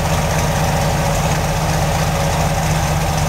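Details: Chevy 383 stroker V8 in truck, cold start, idle about 850 rpm, mild cam, full-length headers, Hooker Turbo mufflers dual exhaust, mic at rear: deep steady burble, even pulses, no misses; healthy exhaust note.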